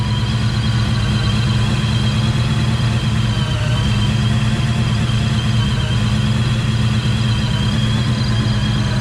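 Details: Coyote-swapped Fox-body Mustang V8, supercharged, probably about 20 psi boost, E85, 3-inch exhaust, first start on fresh tune: deep steady loud rumble with faint blower whine, briefly misfiring at first then smoothing; normal idle.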